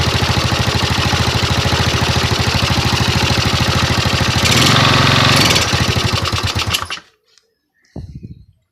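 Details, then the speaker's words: Yamaha Mio scooter after rewiring ignition and regulator circuit, with used carburetor and CDI: small single cylinder puttering at an even quick beat, brief rev blip then shut off; runs smooth and steady. "Wakku berarti pakai Kipro Repo Absolut juga bisa, pakai Kipro"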